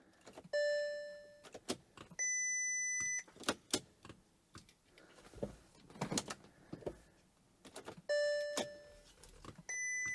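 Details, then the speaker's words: Crash-damaged 6.0 W12 Bentley Continental GT, first start after a new radiator pack: repeated two-tone dash chimes about a second each among clicks, 'System fault workshop' shown, won't start or lock; a flat battery is suspected. "Backrest not locked. System fault workshop. It won't start? No. No, it just says system fault workshop. No."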